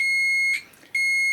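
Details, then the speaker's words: DeWalt 9in angle grinder that suddenly stopped working, fuse reportedly OK; multimeter gives a steady continuity beep from a plug pin to the machine terminal, showing the power lead is intact. The fault was later found in the switch. "So, you can see there that we've got continuity on that one."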